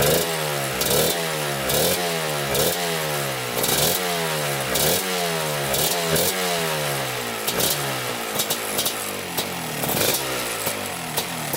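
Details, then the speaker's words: 1987 Kawasaki Tecate 4 250cc two-stroke quad idling, uneven with crisp rapid popping, steady but wandering slightly; it ran wrong because the air-fuel mixture screw was screwed all the way in. "Alright guys, we got her idling. The air fuel mixture screw was screwed all the way in, so that's why it wasn't running right."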